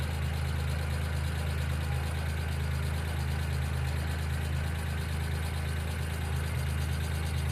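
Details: 1995 Geo Metro small engine idling steadily with a fast, light top-end tapping keeping pace with idle speed, suspected lifter tick (not confirmed); B-12 fuel injection cleaner added to the engine oil before an oil change.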